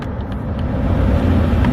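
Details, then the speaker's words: Mercedes GLA 250 passenger-side A/C blower motor after replacement, previously vibrating and humming at higher speeds: steady even rush of air with low fan hum, no ticking or squeal; normal blower operation. "Ooh, much better. And that is how you fix it."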